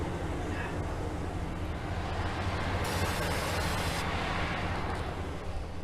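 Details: 1964 Buick Riviera that sat 23 years in a field, cranked with extra current and a little gas. A steady churning crank with brief catches that die at once: the worn starter's Bendix disengages as the engine fires, so it won't keep running.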